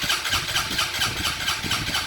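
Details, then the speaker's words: Fuel-injected motorcycle cranking on the starter at about four compression beats a second but never firing; the fuel pump is seized and delivers no fuel to the injector, so it won't start. "pega pessoal porque a bomba de combustível não injeta combustível para o bico injetor jogar dentro do motor então a moto não vai pegar é como se não tivesse combustível certo"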